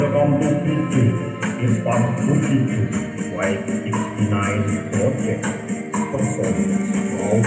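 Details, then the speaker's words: Polytron PAS 8B28 speaker, two months old, after repair plays full and clean with crisp tambourine and no buzz; earlier buzzing came from a loosely mounted plastic front speaker panel. "ya suaranya sudah mantap dan tidak ada geber lagi"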